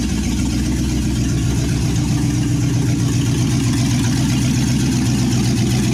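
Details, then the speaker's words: 1963 Chevy C10 355ci V8 (350 .030 over), Turbo 350, start after years unrun; it runs, water moving though temp gauge dead: loud, deep, steady burble with even lope through open headers, no knocks or misses. Normal idle. "and there you go it runs"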